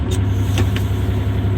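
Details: Terex articulated rock truck, Cummins M11 diesel, after transmission fix: deep steady idle in neutral, only a couple of light clicks over it; idling normally.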